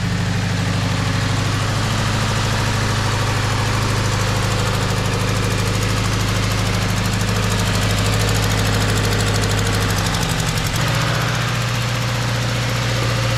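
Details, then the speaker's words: 2013 Subaru Impreza right after an engine swap following timing failure, first start: loud, lumpy, stumbling idle with wavering note and heavy smoke; massive misfire, possibly oil burning off, seems to clear up. "well we got it running didn't we poorly still get a massive misfire which is fun"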